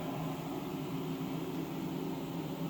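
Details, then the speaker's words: ABB vacuum pumping module just powered on, loss-of-vacuum alarm clearing: enclosure vent fan gives a steady low even hum with a soft airy hiss, no rattle or pitch wobble; normal fan running. "but after that the unit's powered on. You can hear the enclosure vent fan running down"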